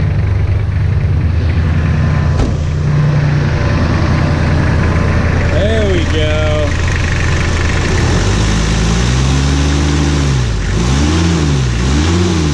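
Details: First start of B3000 truck after Cummins turbo diesel swap, jump-started: low steady diesel idle, then several quick revs rising and falling cleanly, no knock or flutter; healthy.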